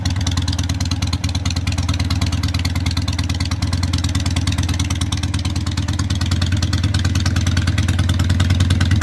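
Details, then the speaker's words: Harley 883 Sportster street tracker, initial start-up after fitting loud pipes for earlier Sportsters on modified, custom-built mounts (owner expects a carburetor rejet): smoking, with loud, rapid, even exhaust pulses building as it warms, no clatter or misfire; runs great. "actually you can tell by the smoke and I already started it up but it runs great so let's hear it"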